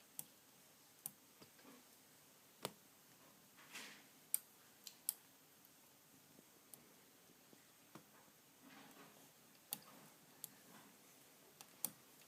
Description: I had a clicking sound in my rear cassette/derailleur as you will hear in this video. To fix it, I adjusted the limit screws very slightly and the clicking was gone.